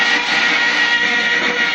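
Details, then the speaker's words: Samsung CL 2150 21-inch flat-screen TV, after about 10 minutes running: screen shows snow and the speaker gives a loud, hoarse, steady rushing static roar. Tuning lost, no varicap voltage, so the tuner receives only noise. "Iona perfeitamente por 10 minutos de repente aparece interferência na tela como fosse uma chuva e o fica rouco e bem alto"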